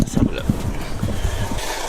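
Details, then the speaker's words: Vauxhall Vivaro diesel van, 125,000 miles, bought with a running issue; listened under the bonnet, with oil burning and a bit of smoke seen; uneven low clattering idle, rattly old diesel but not too unhealthy: rattly diesel idle. "uh sounds all right it sounds like a rattly old diesel but yeah don't sound too unhealthy"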